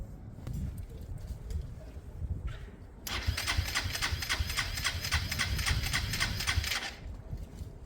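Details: Motorcycle after a carburettor conversion with all computer systems disconnected; the starter whirs at about four pulses a second for roughly four seconds with no firing, unchoked and unsure it will spark; cranks, won't start.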